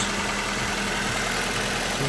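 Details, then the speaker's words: 2003 Nissan Almera N16 1.5 petrol, manual, after replacing and adjusting the alternator and power-steering belts, steering on full lock: smooth, even idle with a steady hum and no belt screech or chirp; normal idle. "you can see it's not there's no screeching or nothing now that's perfect nice and quiet that's what you'd like to hear"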